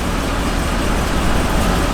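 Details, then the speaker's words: Newly bought V8 truck with many miles, no rear brake line: loud, deep idle rumble with an uneven, stumbling beat, no knocking; misfire, owner suspects coils or plugs rather than an internal issue. "you can feel the trunk but it's misfired pretty good uh i don't think it's an internal issue because it's not knocking or anything crazy like that it's probably cools plugs or something"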